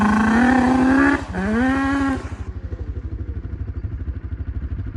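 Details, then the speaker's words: 1988 Yamaha Banshee, all original except a two-into-one exhaust pipe, being ridden: high buzzing two-stroke wail climbing with throttle, then crisp popping idle off load; healthy, chainsaw-like note from the 2-into-1 pipe. "It just sounds just like a chainsaw. Like normally they kind of do, but that one sounds just like a Because chainsaw. it got that 2 in the 1 pipe."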